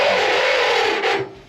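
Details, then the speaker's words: Microwave turntable motor turning with a dry, steady rasping rub, then trailing off; the motor is noisy. "такой вот Юнит блин в том что вот этот моторчик шумит туда крутится"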